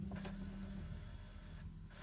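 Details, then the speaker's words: Alfa Romeo 147 diesel after a fuel filter change, ignition on: short low electric whir and gurgling as the filter refills automatically; the normal fuel pump priming, cycled off and on until the gurgling stops. "You might not hear it, but you can hear a gurgling sound. Personally, I turn the engine off and on several times until I no longer hear the gurgling."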